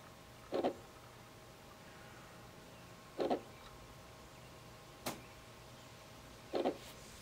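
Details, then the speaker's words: Sony PS3 CECH-2501B drive with worn laser trying to read a Skyrim disc: quiet steady spin broken by short whirring seek bursts about every 2.5 seconds as it retries; disc read failure. "it'll load a game every now and then not skyrim"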